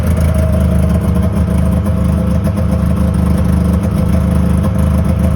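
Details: 2001 Yamaha Venture two-stroke snowmobile after cylinder repair and carb clean (main and pilot jets were plugged, likely leaned out); steady even drone at constant high idle, no misfire or surging; running mint.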